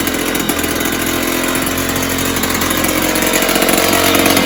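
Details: 1970s Puch Maxi E50 50cc two-stroke moped engine bench-started with parts missing: loud raspy buzz with a fairly steady beat that gradually picks up, ticking over of sorts; carb leaking a little, owner thinks carb needs cleaning and tuning. Normal running.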